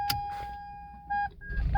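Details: Toyota Prius started with a properly coded RFID key: clear mid-pitched chime for about a second then short repeat beeps, the normal ready signal; the wrong key gives no ready.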